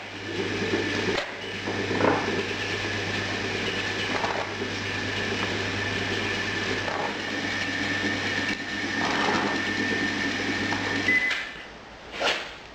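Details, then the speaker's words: Overhauled sand mixer test run after refit of compactor roller, wood under lifting arm for extra roller pressure: steady low hum, faint high whine, soft thump every two seconds as roller turns; running smoothly. "Now it's finished and we'll give it a test run."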